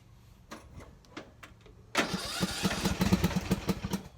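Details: Poulan riding mower after carburetor removal and cleaning, about two seconds of slow cranking, then it catches and settles into a rapid steady putter; starts and runs normally, smoking only from oil in the exhaust.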